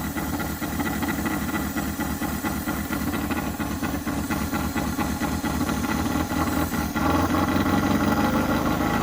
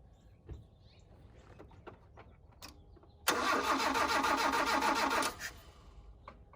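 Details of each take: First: 1983 Mazda B2000 carbureted engine, cold, air cleaner off: chugs unevenly at first, then about seven seconds in picks up to a steadier faster idle on choke pull-off as the bowl fills. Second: 1983 Mazda B2000 carbureted engine revived, first start after fuel line reconnected: quiet cranking then chugs unevenly about two seconds as the carburetor bowl hadn't filled; fuel starvation, choke pull-off noted.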